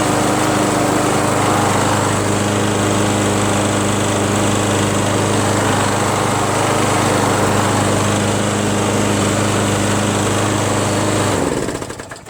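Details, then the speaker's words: Free curb-pick John Deere JS63 self-propelled mower, Briggs & Stratton 6.5 hp engine, garage-kept: starts on first pull, steady even single-cylinder drone with no misses or surging, holds constant speed until shut off; self-propulsion works, runs fine. "can you believe that guys it started up on first pull and the self-propulsion works just fine this thing runs fine"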